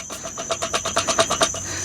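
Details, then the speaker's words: 2013 Toyota Prius 2ZR-FXE engine: sharp, even knocks about eight per second with a thin steady whistle; suspected misfire making the flex plate springs unload near the crankshaft, sounding like a rod knock, not confirmed. "and there would be a skip and the springs would unload and it would make this sound since it's very close to the bottom of the engine where the crankshaft is at. That would most likely sound like a rod knock."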